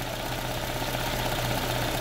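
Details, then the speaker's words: Chevrolet GM engine (Onix/Spin/Celta/Montana/Cobalt family) idling after timing belt reassembly with tensioner set in correct anticlockwise position: steady even hum, belt noise gone, engine running normally. "um barulhinho lá do motor funcionando normal mas ó Correia Zerou"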